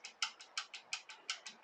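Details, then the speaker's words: Yamaha FZR 600, engine turned over by hand at the crank during timing chain tensioner adjustment: crisp light metallic ticks, about six per second, seemingly from a side casing; something loose suspected, possibly the running rattle, unconfirmed. "i heard this noise i don't know if you can hear it as i was turning the crank around like that i thought what's that cranking noise there"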